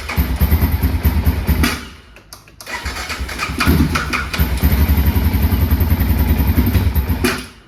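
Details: 2005 Can-Am DS650 quad, bought for $1000, with a newly fitted Chinese replacement part, fuel on reserve, wanting choke: single-cylinder thump catches, stumbles briefly, then settles into a steady even beat with crisp throttle blips; running properly.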